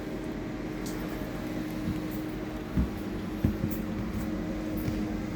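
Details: 2019 Micro Lite camper furnace with self-lighting pilot, pilot heard lighting, no hot air yet: steady low blower whir with faint constant hum and a few light clicks; furnace fan sounds healthy.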